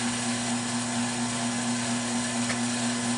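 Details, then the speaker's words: Lathe on slow speed, warped catalpa bowl blank (sat about a year and a half) screwed to faceplate, not yet re-centred: steady motor hum with rhythmic whop about twice a second from out-of-balance spin; turner thinks re-centring will fix it. "yeah it's got a whop to it but if i re-center everything i think will be okay"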